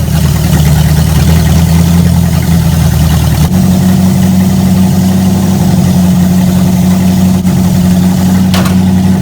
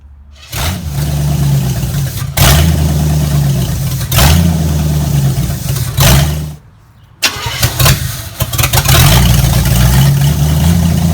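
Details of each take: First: V8 just fitted with a Street Avenger carburetor and converted to a vacuum-advance distributor: steady, low, even idle with a slight tone shift and no misses. Float bowls possibly still filling and possible mineral-spirits residue from cleaning. Normal idle. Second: Engine with a freshly installed Street Avenger carburetor and distributor converted to vacuum advance; several cranking bursts catch briefly and die. Hard starting; owner suspects float bowls still filling and leftover mineral spirits from carb cleaning.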